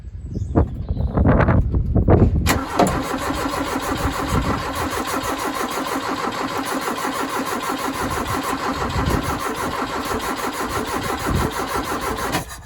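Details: 2.0 Ford Capri after inlet manifold work, with a multimeter on the coil: a few stuttering turns, then a long, steady, labouring crank about three beats a second that never catches. The engine will not start.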